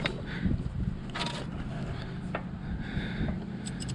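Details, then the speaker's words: 1988 school bus left sitting for years, engine turned slowly by hand: hard to turn, irregular crunchy metal-on-metal scrape with each movement, suspected broken starter parts grinding inside; compression builds, no major engine problem suspected. "it's pretty hard to turn over but it made like I turned it over like I'll move this for inch like an inch and it sounded like some metal onm metal type sound"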